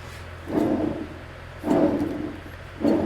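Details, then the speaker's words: Cub Cadet 1529 riding mower deck spindle turned by hand during full service with pulley removed; three rough, gritty growls about a second apart, a remaining spindle bearing growl, worn bearing to be replaced or spindle rebuilt (OEM spindles discontinued). "spinning things from this direction. It still has what I would call a little bit of a bearing growl."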